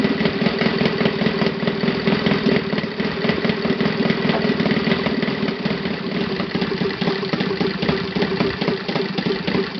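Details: Saito FA 270T four-stroke twin model engine on stand, first run after eBay purchase and kerosene cleaning, hand-started: even, rapid popping idle, steady and smooth, no misses or rattles; normal idle.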